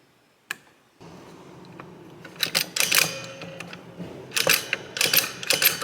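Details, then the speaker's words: Barn-find 1961 Gottlieb Corral pinball machine, stepping unit after re-indexing: crisp mechanical clicks about two a second, no grinding or hang-ups; contacts step properly rivet to rivet without catching or stopping early. "It's jumping correct so far. You can't see it. I'm watching the contacts back here to make sure it's properly stepping from one rivet to the next and not catching or stopping early."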